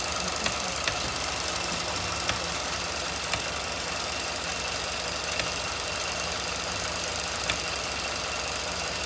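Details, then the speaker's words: 2016 Ford F-150 5.0 at idle with the air conditioning off: sharp, uneven clicks every one to two seconds from something cycling on and off, not the engine; the source is unknown. "Not the engine. No, it's not. It's something cycling on and off."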